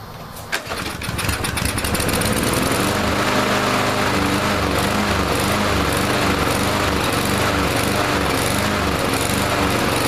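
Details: Troy-Bilt TB230 169cc four-stroke gas lawn mower after Sea Foam treatment: engine catches after a pull, then runs with a slightly wavering, hunting beat instead of holding steady; improved from start-and-stall but still uneven, traced to a malfunctioning automatic throttle governor.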